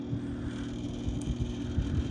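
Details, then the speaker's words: 1983 Gibson SlumberMaster window air conditioner (R22, 5900 BTU, 730 W) on fan-only low with the grille off and the air sweep moving: soft low hum and gentle airy rush, no rattles or squeals. Normal, very quiet low fan. "so we're on fed only this is low fan it's very quiet air conditioner"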